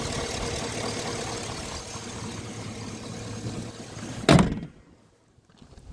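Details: 2006 Chevy petrol engine idling with a light, hollow, rapid knocking in its rhythm; piston slap suspected, not confirmed.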